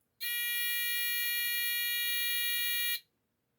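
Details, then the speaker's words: Cheap piezo replacement buzzer for a postwar Lionel diesel locomotive horn, tested on a 1.5V D battery: thin, feeble, steady high-pitched beep for about three seconds that would be lost under the E-unit and horn-relay buzz. "So even if you think it might sound okay, or you can tolerate that, I guarantee you, when that train is on the track and the E unit is buzzing away and the actual horn relay starts clicking and buzzing, you're not going to hear this."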